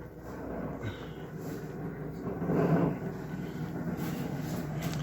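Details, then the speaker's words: GE refrigerator: loud steady rough whirring drone with uneven flutter from the freezer fan behind the rear panel; noisy worn freezer evaporator fan motor, to be replaced. "here this is a ge and y'all hear it it is loud so the fan is actually behind here"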